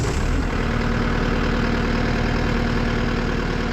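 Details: Caterpillar 259D skid steer diesel just after changing both fuel filters and priming: catches and settles into a steady, even idle with smooth low rumble and no knocks or misses; normal idle.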